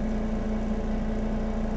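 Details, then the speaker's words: Medical grade air compressor in good condition, running with hood off, muffler keeping it quiet: steady even low hum with smooth constant tone, no knocks or rattles; running quietly and healthy. "man the muffler everything keeps it nice and quiet once i put this hood on it's gonna be even quieter still that's beautiful"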